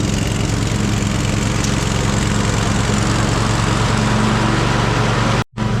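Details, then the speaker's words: Cub Cadet Super LT 1550 twin, carburetor work, weak battery on charger: runs better but still lean, apparently not getting enough fuel; fine under full load with blades engaged, but labored when driving with blades engaged; uneven, slightly hunting beat, hollow tone; fuel starvation under load. "Okay, it is running a lot better, but it still sounds like it's not getting enough fuel. When we have a full load on, it sounds okay even just with the blades engaged. But when you go to drive with the blades engaged, it sounds a little labored."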